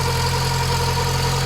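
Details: Mk2 Golf 1.6 four-cylinder petrol, automatic, Weber carburettor, after choke cable adjustment, with an oil leak at the back of the rocker cover gasket: smooth, steady low hum with no misses or hunting; normal idle.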